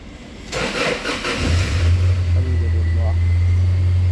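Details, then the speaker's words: 2011 Toyota Hilux after ECM repair, previously crank no start: brief crank then catches at once and settles into a steady, even low idle; normal start. "हमारी गाड़ी start है"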